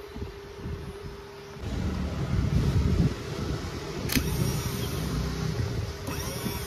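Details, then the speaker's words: Royal Enfield Classic 350 self-starter motor, magnets re-glued with Araldite, bench-run on power supply after repair: steady even hum spinning freely, no grinding, scraping or knocking; runs like new. "দেখতে পেলেন মোটরটা এখন পুরোপুরি ready হয়ে গেছে, একদম নতুনের মতন কাজ করছে, কোনো সাউন্ড নেই, বাজে কোনো আওয়াজ নেই।"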